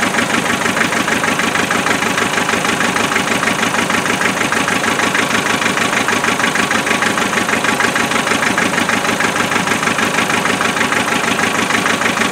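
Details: Land Rover 2.5 naturally aspirated diesel, cold start with some glow plug: uneven, lumpy idle around two beats a second, one cylinder dropping out; misfire, cause not yet found, later traced via thermal camera and injector spray testing.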